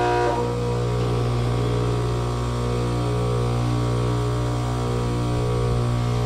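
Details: Trane condenser (2004, XB12, about 4-ton, R22) with an 825 RPM, quarter-horse, 208/230 V fan motor: a loud steady drone with a rough, uneven hum. Bearings are shot and the motor must be changed. Head pressure is very low, so a leak is suspected.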